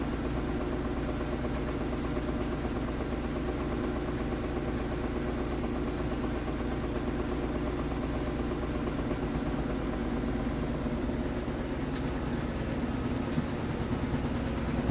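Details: Samsung WF330ANW front-load washer on spin: heavy steady low rumble, rough grinding or metal striking, a roughly once-a-second throb and strong vibration, drum spinning slightly out of alignment; quiet on wash; owner suspects loose shock, spider flange or bearing.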